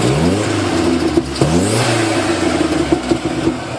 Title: Turbo ranger making strange noises.